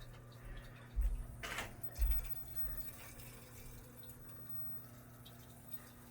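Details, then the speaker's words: Oil-fired furnace hot-water heating after replacing a bad TACO zone valve head: steady low hum with faint water rush in the pipes and a couple of soft knocks while waiting for the circulator; zone flowing normally. "Yeah, I hear the water flowing. I'm waiting for the circulator to kick on in the furnace."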